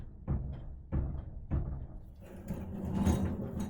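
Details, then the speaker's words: 1966 Ford Mustang door with brand-new aftermarket hinges, rocked by hand: three dull clunks about half a second apart. The new upper hinge already has a lot of slop and needs rebuilding before assembly. "okay so what that is is that is this upper hinge has already got a ton of slop in it and it's a brand new hinge"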